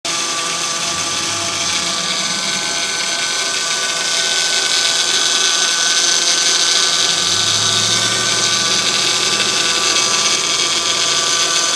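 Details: 2005 Honda Accord V6, 130,000 miles, well maintained, timing belt replaced: steady high-pitched drill-like whirring over a faint idle rumble only at cold morning start-up, gone once at normal temperature.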